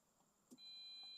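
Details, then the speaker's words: Tata Tigor BS6 petrol, smart-key push-button start with brake pressed: short chirp then steady high beep, but no starter click or cranking; no crank, no start. "Cuttack ले का अंदर आवाज आ रहा है लेकिन य पर सेल्फ नहीं ले रही यही प्रॉब्लम है"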